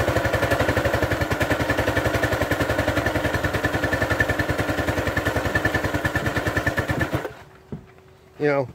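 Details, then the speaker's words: Craftsman 2700 PSI pressure washer with Briggs & Stratton 275cc OHV during a spray test: uneven rapid chugging, three to four pulses a second, then cutting out. The owner guesses the idle-down isn't controlling the idle. "i think part of it is the idle downs not working it does seem to do something it's not bringing the control over the idle when something's not right with it"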